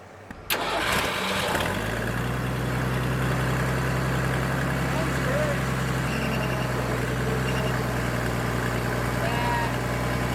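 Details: Military surplus forklift restarted in neutral after adding hydraulic fluid; short crank, catches quickly and settles into a steady even low idle; it runs and hydraulics work, though a hydraulic leak or overflow is noticed.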